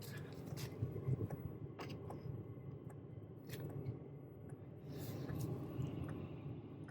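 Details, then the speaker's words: Hcalory 8kW all-in-one toolbox diesel parking heater on level one: a soft, steady low hum with faint clicks and no pump ticking; running quietly and normally. "Okay, this is the heater how it sounds at number one. Barely even noticeable. I wouldn't even notice it unless you told me. Yeah, she purr."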